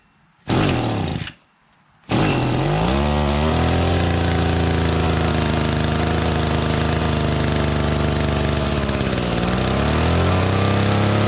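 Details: Echo GT-200B (Kioritz) two-stroke trimmer after recoil starter pull rope repair: two pulls, catches and runs with steady buzz, blipping up and settling back cleanly; running fine.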